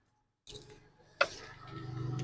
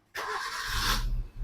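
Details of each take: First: 2013 Maruti Swift Dzire with a crank position sensor fault (history code): starter whirs for a long stretch before the engine catches, and the steering stays jammed after starting. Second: 2013 Maruti Swift Dzire, faulty box causing the crank sensor fault found: brief crank, starts at half a crank and settles into a steady idle; check engine light off.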